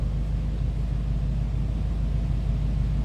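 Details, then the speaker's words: 1949 Ford Club Coupe: deep, even low rumble with steady beat and no misses or knocks; smooth idle, sounds good. "Told you it sounds good."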